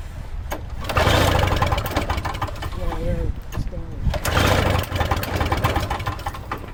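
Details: Toro Snow Commander two-stroke snow thrower, no fuel line connected, on sprayed starting fluid: engine catches and revs unevenly for a few seconds, then sags and picks up again; old mix had too much oil, fuel suspected.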